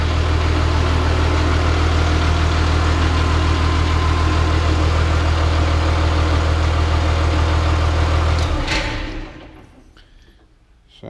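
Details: Caterpillar D3C LGP dozer diesel in the shop after refilling hydraulic oil following a blown hydraulic hose. Even, steady idle with a deep, regular throb for eight seconds, then a clean shutdown; the engine runs healthy.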